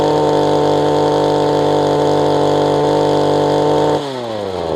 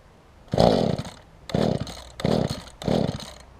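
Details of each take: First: Mantis two-stroke tiller after installing a kill switch, securing the loose engine and tweaking carburetor low/high adjustments; now idles (didn't before), holds a steady buzz, revs up and down cleanly, shuts off; slight rock remains; running normally. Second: Mantis tiller two-stroke engine during carburetor low/high adjustment. Catches in short ragged bursts of about half a second, dying back between each and never settling into a steady run; rough running, the adjustment didn't help.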